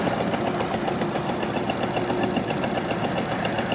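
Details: 1929 Ford Model AA Express four-cylinder, sat over 30 years, first start, no coolant: uneven loping idle of about 220 pulses a minute, one cylinder seeming to drop out; rough idle, cause unconfirmed.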